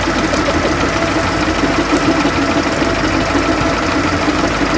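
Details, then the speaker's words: Bus diesel at slightly raised idle with a loose, uneven knocking and gear chatter over the engine beat; fan drive gearbox (bevel/mitre box) suspected worn, not confirmed; belt sitting deeper in pulley groove also noted. "That gearbox for the fan? I'm not gonna like my answer, but I think that's the mitre box."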